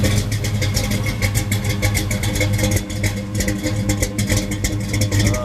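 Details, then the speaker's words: 1973 Camaro Z28 V8 heard outside the car, now idling by itself: loping idle from a fairly radical cam, each cylinder's pulse heard distinctly over a deep steady rumble; the normal sound of this healthy engine. "as you can hear it's a fairly radical cam it's got that good old V8"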